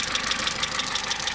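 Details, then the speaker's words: Opel/Vauxhall Meriva 1.4 Ecotec at about 236,000 km, idling: light fast ticking about six per second, diesel-like, not the timing chain but intake swirl flap mechanism chatter, common on these engines at high mileage. "That is intake valve sound. Apparently all of these engines have that after certain kilometers put into them."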